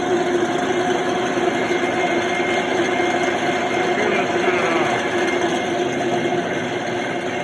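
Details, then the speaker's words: Cincinnati O-8 production milling machine, converted to run on 480 V 3-phase 60 Hz, running: a steady, harsh rattling drone under the motor hum. It was traced to a worn aluminum drive belt pulley on a steel spline shaft. "I thought it did, but no harm in checking again and trying to see what makes that noise. I don't like that noise."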